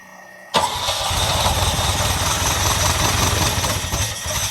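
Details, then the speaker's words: 1979 Ferrari 308, first start, cold on full choke: uneven, lumpy idle pulsing about three per second, won't take gas; carburetors feel dead, suspected running on only two carbs with nothing from the back carbs, which spit fuel. "Jeez, yeah. It won't take any gas right now. Might be. This carburetor feels pretty dead. These are dead."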